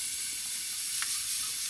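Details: Turbo LFX-swapped Volvo 240 wagon, engine off, still warm after driving, intake pressurised: steady high-pitched air hiss; leak unconfirmed, fuel pressure regulator suspected leaking.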